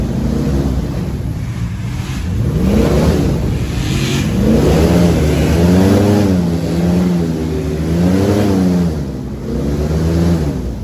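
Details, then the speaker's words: LS3 V8 airboat engine after repair, under load coming out of the hole, where it previously acted up: pulls cleanly up and down through the revs with an even note and no misses or popping; healthy. "Well, just idling around, seems to be running pretty good. Hope she's good in the water. Get a load on her coming out of the hole. That's when it would really act up before. Oh yeah, she back."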